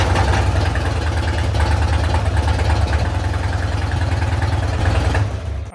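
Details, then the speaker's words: 1966 Mustang on a lift with open exhaust, restarted in neutral after sitting about 5 years; deep loud burble holding a steady idle, some smoke seen afterward. Normal idle. "For sitting for probably 5 years, it started up surprisingly easy."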